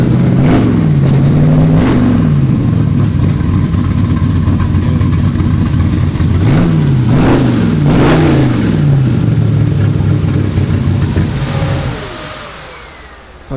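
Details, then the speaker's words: Turbo Chevy Nova V8 with rebuilt engine (oil clearances opened up) and finished exhaust, fired up; lumpy idle with clean, crisp rev blips rising and falling smoothly, no knocking or ticking. Normal running. "sounds good dude I think it's gonna run pretty good too don't get me wrong I love ls's but you'll never make one sound like that that sounds great it always sounded good even the 55 it always sounded really good"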